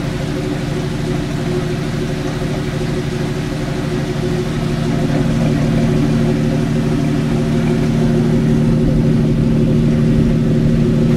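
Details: Jeep YJ with wheels in the air, idling in third gear: steady low hum and drone with a faint rhythmic wobble from a bad wheel bearing.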